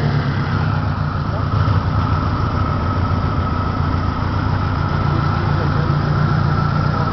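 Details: 1993 Saturn SW2 in park, low on power, with the check engine light reported both off and on: lumpy, uneven low beat with occasional stumbles. Misfire at idle, cause not yet found.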